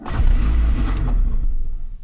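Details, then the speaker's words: 1988 Honda Civic DX with OBD-1 computer, key turned in the ignition: engine catches with a brief burst of revs, then dies within about two seconds; starts then stalls, owner suspects the ignition switch. "i'm going to show you what the car was doing the key in here and hear that it starts and then just"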